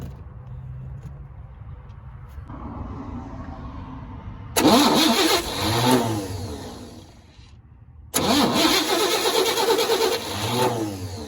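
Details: 1964 Chevy C20 that sat 19 years, cranking while spark is checked: two bursts of steady starter cranking at about three turns a second, and it never catches. Crank, no start; the cause is not yet found.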